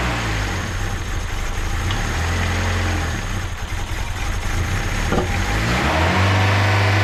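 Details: Turbo D16 Honda Civic with a newly installed Speed Factory Savage cam, idling around 2000 rpm for about 20 minutes: a steady raised speed with an even, clean note and no knocks or ticks, running healthy.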